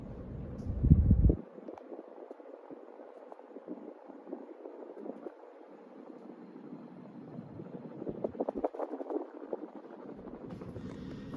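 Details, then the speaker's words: 1986 Hunter Original 52-inch ceiling fan on high, after oiling (previously oil-starved and hard to turn): soft, even low whoosh of air, no ticking, scraping or wobble; spins freely, much smoother than before. "she is definitely a Powerhouse it does run a lot smoother than it did previously I we'll tell you that"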